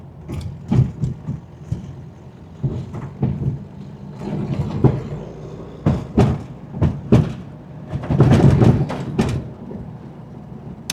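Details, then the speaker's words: VW Baja Beetle, non-starter just got running, rolling: irregular heavy clunks in bursts over a low rumble from the rear end; mechanic votes transaxle, though the car feels stable; cause unconfirmed, suspected rear-end fault. "I'm gonna vote transaxle. It sounds to me like transaxle."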